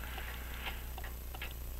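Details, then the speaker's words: French crystal regulator clock, possibly made by Vincente, bought as non-running, with an open escapement and jewel-like pallets: crisp, even tick-tock at about three beats a second with equal spacing; the clock is running in beat. "so I think you can get that sounds like it's in beat come on focus thank you"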